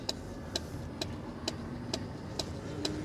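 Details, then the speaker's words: 1997 Mercedes S500 coupe while driving, side power mirror buzzing nonstop: steady tick about twice a second over road hum, not following speed; it keeps going even when the mirror switch is changed over, cause unknown. "I don't know how to make that stop. Even when I switch over here, it won't stop."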